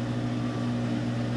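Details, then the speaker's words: Whirlpool Cabrio washer, model WTW8240YW0, about 8 years old, mid-spin after replacing the tub bearings, seal and shaft kit. Steady, smooth low hum with no rumble or grinding; much quieter than before, with no bearing noise. "the wash is in the middle of a spin cycle right now and it's a heck of a lot quieter than it was that's for sure I think it's running perfectly"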